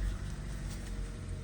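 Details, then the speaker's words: Chevy Cruze/Buick Encore 1.4L with codes P0106, P0131, P0171, P1101: deep, uneven rough idle with rhythmic "whoop" dips, needle fluctuating, vibration and slight choking, worsening; caused by leaking PCV valve in the valve cover, fix is valve cover replacement. "Now you're gonna see the needle go down, and then there you go. You can hear the engine just whoop, whoop, whoop, whoop, whoop. Now let me show you. It doesn't sound normal."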